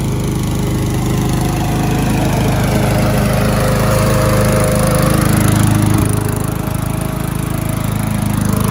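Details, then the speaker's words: Curb-salvaged MTD walk-behind lawn mower cutting grass after an oil change, with engine speed turned up a bit: strong even drone dips slightly as the blade takes grass, then recovers. Runs well; earlier exhaust smoke suspected from tipping and slight oil overfill. "it runs pretty well so I'm going to I'll put a clamp on the handle see if we get any more smoke from the exhaust"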